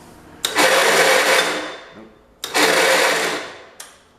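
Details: 1969 John Deere Patio 112 restoration, battery on charger: two bursts of high, light whirring about a second and a half each with no compression pulses; starter spins free without turning the engine, owner suspects the starter, brushes unchecked.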